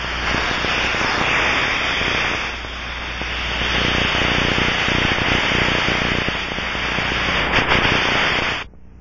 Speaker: this is the sound of a pressure leak as heard through the ultra probe